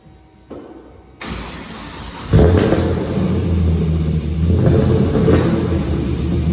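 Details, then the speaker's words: Untuned Mazda RX8 drift car with 180-degree headers, before dyno tuning, revving: rough, uneven rumble with sharp exhaust pops; backfiring and popping put down to tuning only. "you can hear it backfiring and popping away and carrying on but yeah it's just a tuning issue"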